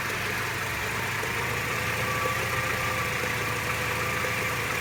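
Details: Mercedes SLK 230 R170 at hot idle only: faint thin whine with fine irregular ticking; cause unknown. Fuel consumption, acceleration and smoke are fine, with a new water pump, thermostat, belts and mounts, and oil changed 1000 km ago.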